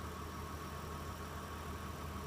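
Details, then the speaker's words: 2002 Mitsubishi Pajero Exceed, 271,000 km, idling with the hood open: steady, even low rumble with no knocks or misses; runs very smooth and sounds healthy. "So as you can hear, it's running very smooth."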